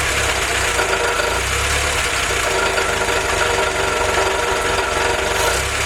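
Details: Willys F-head four-cylinder (snow blower jeep engine), first run on newly installed Weber carb replacing troublesome Carter YF, 180 thermostat: warm idle smooth and steady, no miss or hunting; normal idle.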